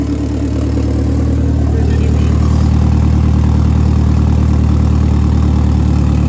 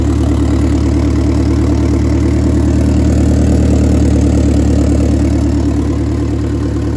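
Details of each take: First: Eagle Talon with a 4G63 engine after timing work: a smooth, deep, steady four-cylinder idle with no misses, knocks or ticks. Timing is right and it starts easily, though an oil leak is found at the front of the engine. Normal idle. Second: 4G63 DSM at first start after repairs and a new exhaust gasket: even idle with a light, quick puffing tick about three per second on the exhaust note. An exhaust leak remains.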